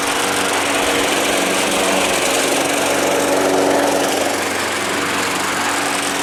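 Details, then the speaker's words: Small engine that sat all winter, primed about five times: a steady high-pitched buzzy note at even speed with no misses or knocks; it runs cleanly. "actually works pretty good"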